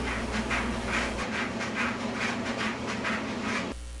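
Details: Whirlpool dryer drum turning: rhythmic swishing clack about twice a second over a steady motor hum, caused by a faulty drum baffle needing check or replacement.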